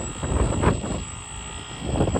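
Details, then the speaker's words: Brand-new Carrier Weathermaker packaged rooftop unit, natural gas, in cool mode, not cooling: loud deep rumbling roar with uneven surges about every second; abnormally loud running, cause not yet confirmed. "Very nice unit, very nice install. Very loud."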